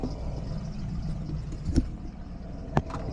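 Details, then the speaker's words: 1991 Clarion motorhome at idle after repairs following a breakdown, just started: good oil pressure, full tank of gas, temperature normal, battery charging; quiet, low, steady idle with even murmur and a couple of stray clicks, engine idling good; normal idle. "Engine's idling good. And I'm gonna drive it up the street and turn around so I can put it back in the driveway."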